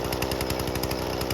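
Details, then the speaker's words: Husqvarna 120 Mark II chainsaw during carburetor tuning: fast even buzzing idle pulsing about ten times a second, idle screw turned in until the chain just starts moving; deliberately high idle set before adjusting the low jet. "now what that'll do is just it'll keep your saw high idle uh it won't stall out as as quick once you're starting to turn the Jets"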